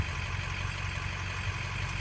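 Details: Ford 6.0 diesel: steady, even idle with a smooth low rumble and no misses, knocks or surging; IPR duty in normal range, a normal idle.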